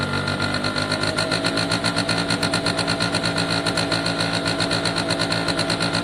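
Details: Italjet Formula 50cc two-stroke on choke, after carb refit and cleaning a wet spark plug: crisp, even buzz pulsing about four times a second, steady; normal two-stroke idle, no fuel leaks.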